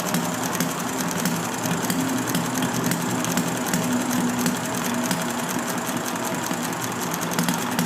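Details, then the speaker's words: Enjomor model engine with original stiff brown piston O-ring, hard starting on a humid day and flooded, with plug dried before restart: quick, even popping beats firing cleanly on every stroke; now running normally. "Definitely have it flooded, so let's see if we can get it to. Now I got it firing."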